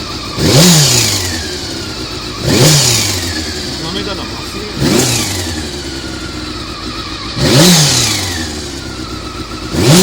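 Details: Honda CBR400RR after riding at Ebisu Circuit: repeated throttle blips every couple of seconds, harsh mechanical rattle on each rev rise; abnormal noise when revving, cam gear train suspected, unconfirmed.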